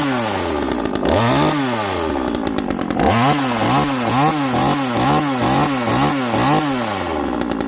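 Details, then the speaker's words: TimberPro generic 25cc top-handle two-stroke chainsaw, about 10-inch bar, first start after three years in storage; repeated rising and falling blips with a blubbery, uneven note at the top of each rev; sounds way rich. "but it sounds way rich basically this is a generic 25 cc chainsaw off of anywhere"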